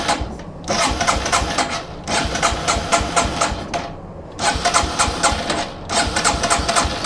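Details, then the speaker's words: Yamaha TW200 single-cylinder, running fine beforehand: with an intake plug pulled to create a large vacuum leak, it cranks in repeated bursts but won't start. Covering the leak lets it run. "All right, so now we have a pretty good sized vacuum leak in there. We'll go ahead and try to start it."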